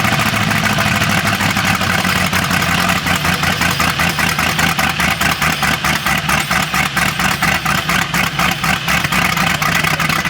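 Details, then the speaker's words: 1988/89 Cobalt boat, 5.7 MerCruiser V8 previously thought seized, first run on starting fluid with suspected bad gas: rough idle with a steady tapping knock about four per second; bottom-end knock, owner suspects rod or crank bearing or an unpumped hydraulic lifter. "bottom end noise rod bearing crank bearing could be all sorts of things but it's spins so we are making progress here today"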